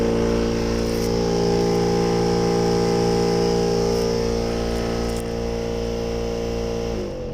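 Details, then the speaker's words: Skoda Octavia A5 air-conditioning blower, noise on switching on and rising with fan speed: steady whirring hum with a faint regular flutter; small leaves or dirt caught in the blower. "lo que comúnmente suele pasar es que suciedad o pequeñas hojas saben ingresar a la parte de atrás del aire"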